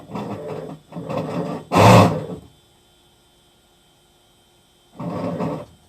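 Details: Hitachi Beat Wash Slim washing machine: short bursts of loose clattering rattle come and go with the wash action, with quiet gaps between; something is rattling, owner suspects the machine is nearing end of life.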